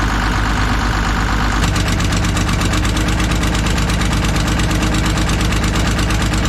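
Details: Kobelco SK250 excavator, believed 2006, diesel, just started after exhaust manifold replaced; even steady diesel clatter and firm low rumble at idle, no skipping beat, warming up; far better than before, normal idle.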